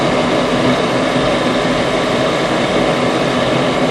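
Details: Goodman furnace firing up after gas valve replacement: steady, even roar of fan and burners with no pulsing, rattling or squeal; running normally.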